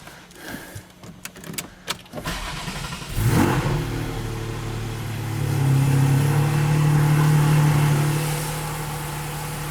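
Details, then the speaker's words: GT4 on a lift with Dundon headers and exhaust fitted and the rear section removed, revved up from idle: a coarse buzzy rasp rides the rising exhaust note, still present, and the owner is unsure whether that's just how it sounds. "i think it's still got the same kinda i don't know i think it's still got the same kind of rasp thing going on there maybe that's just the way it sounds"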